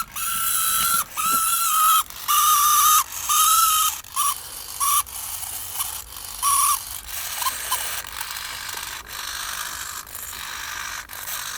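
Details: Super-torque HiTec HS-625MG metal-gear RC servo on a servo tester: repeated one-second bursts of high whirring whine starting and stopping cleanly; normal servo operation.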